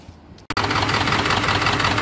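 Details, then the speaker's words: 1997 Ford F250 HD 7.3 diesel at idle after new glow plugs: uneven, lumpy clatter with a skipping beat, still shaking after a new valve cover gasket. Injectors 1 and 3 misfire from a bent pin in the injector harness connector. "so the problem continues [Applause] still shaking like crazy even after I put the new gasket in"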